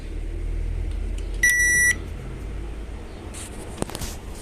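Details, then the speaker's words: Mabe microwave that made strange noises from its control board, after replacing the buzzer and two capacitors: one clean half-second beep at power-on, then only a faint low hum; noise gone. "y como logran ver pues no suena está prendida la tarjeta está prendida la tarjeta y no suena"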